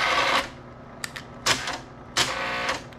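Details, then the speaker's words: Bell & Howell Slide Cube RF60 projector advancing via remote: sharp clacks and whirring bursts with stalls as the slide advance mechanism gets stuck; a jammed slide is suspected. "now pushing the button okay it kind of got stuck there yeah it's not want to"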